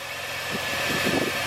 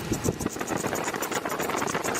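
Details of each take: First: 2002 Chevy S-10 Xtreme running, heard under the hood after new belt, tensioner with pulley and idler pulley: smooth even hum, no squeal, chirp or rattle, a lot quieter. Normal belt drive. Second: 2002 Chevy S-10 Xtreme running, engine bay: steady rough hiss down low like the A/C or fans blowing though they're off; owner believes the rusty idler pulley and tensioner pulley are the cause, before replacing them and the belt. Accessory drive whooshing noise.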